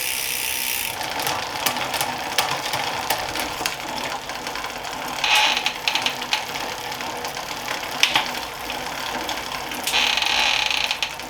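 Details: Planet X Pro-Carbon road bike in the workstand during a gear check: crisp, regular freewheel ticking with clean shift clicks and no grinding or skipping. The gears work, though the rear shifting is a little sticky.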